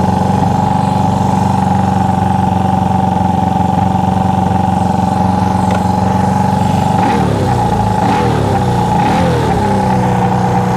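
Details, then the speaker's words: Honda CB360 twin after ignition timing adjustment with a timing light while running: steady, even idle with a firm regular beat and no stumbles; the bike sped up and ran better as timing was corrected. "when I was adjusting it you heard the bike start to speed up you know start to run better"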